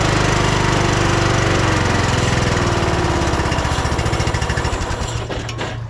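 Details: 2010 Craftsman LT2000 riding mower, single-cylinder engine just un-seized, first start-up on a jump starter because the battery is dead. It fires right up and settles into a steady, even chug of about three to four beats a second, running healthy.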